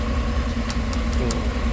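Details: 2008 GMC Tahoe idling after no-crank, no-start, no-communication fault fixed by disconnecting a shorted ABS control module under driver side: steady low mid-pitch hum, even idle with no stumbles or knocks.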